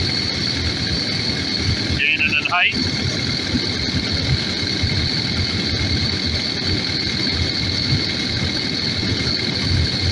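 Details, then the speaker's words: Takeuchi TL12V2 diesel at -30°C after diesel additive and key cycling; steady even idle, low rumble and high whistle, no stumbling, longest run so far; owner suspects gelled fuel, possibly at tank pickup screen. "so far that you might have might have got her well this is the longest it's run so far"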